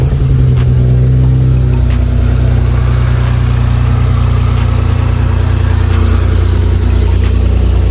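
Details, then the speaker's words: BMW 335i cold start after sitting a couple of days, just after installing a VRSF charge pipe, blow-off valve and VRSF cone filters: steady low idle rumble with an even firing pulse and no knocks or rattles, a healthy cold idle. "We're gonna get a cold start. It's been a couple days since the car's been started, so we're gonna get that cracking."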